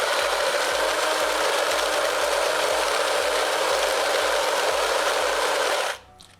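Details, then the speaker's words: DeLonghi Magnifica Evo grinder set finer: steady gritty grinding with a pulse about four beats a second, running longer (about six seconds); grinder working normally. "already hear that it was grinding longer because when it reduces the fineness to a finer grind the coffee, it is smaller in volume"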